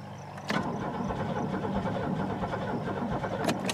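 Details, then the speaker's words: Buick LeSabre stored about a decade, on a weak battery: sluggish cranking with heavy compression beats about three per second and no firing; owner thinks about 9 volts minimum is needed for ignition. "actually get it to pop I think it like 9 volts is a minimum or something for ignitions on these things"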